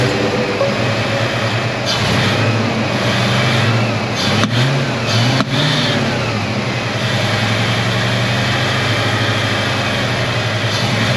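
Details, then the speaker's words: 1990 Ford Mustang 5.0 Fox body, first run after 12 years sitting, fuel pump plugged in: uneven lumpy idle with occasional stumbles like a slight misfire; owner unsure whether bad fuel in injectors or something else; rough idle. "so as you can see it's not running as smooth as it should be almost like it has a little bit of a misfire so I don't know if that's bad fuel still in the cylinders I mean in the injectors or something else"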